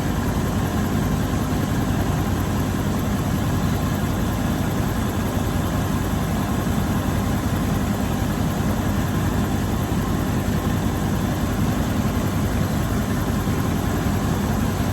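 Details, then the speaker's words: 1984 GMC Sierra Classic after new alternator belt was tightened, checking for squeal: steady, even low idle rumble with no squeal or chirp; belt drive quiet, engine runs normally. "Fires right up. I'm telling y'all, this is a great truck."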